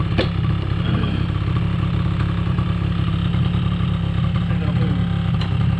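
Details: 2005 Polaris Predator 90 two-stroke quad, long-sitting, has a high idle. Spraying brake clean did not raise the idle, and an exhaust-area leak is suspected. Fast, steady buzz that never drops back to a slow tick-over; cause unconfirmed.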